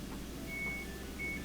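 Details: Samsung electric dryer after heating element replacement, plugged into 220 volt outlet: a few short high beeps over a quiet room hum as it powers on, its normal start chime; it then produces heat.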